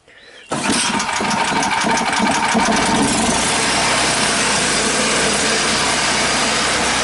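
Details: Previously seized free Champion 3500 W generator after flywheel replacement, gas trickled into line, started unchoked: one pull catches at once, settles into smooth, steady, even run with no knocking or hunting; healthy.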